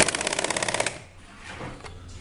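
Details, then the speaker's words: Pneumatic capping machine closing a water-filled container with the cap set on, fast even burst of clicks under a second; cap perfectly sealed, no leak. Normal capping cycle. "Entonces vamos a hacer el procedimiento de cerrado entonces sobreponemos la tapa nada más ponemos la tapa nada más con el taponador"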